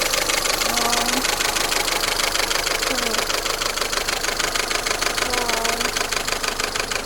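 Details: Peugeot 407 automatic with a freshly mounted EW12J4 (3F5 version) engine, just started at idle: a fast, even, unchanging diesel-like ticking clatter, which EW12 engines are said to have.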